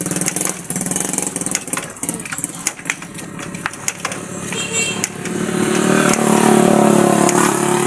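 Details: One-year-old YTX motorcycle that had suddenly stopped and would not start, after compression returned from about 50 kicks and the spark plug was refitted: single-cylinder thump at about four pulses a second, building into a steadier, louder run.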